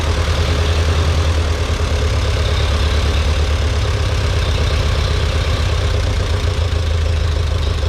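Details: Ferguson TEA 2085 tractor, thought to be a 1951, after fixing an initial backfire; low, even thrum at slow steady idle, no misses or knocks; normal idle.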